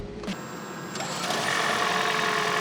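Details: Prius camper started after its battery was jump-started with a Noco Boost Plus jump pack: a click, then a rising electric hum with steady high whines settling into an even tone; hybrid system powering up normally.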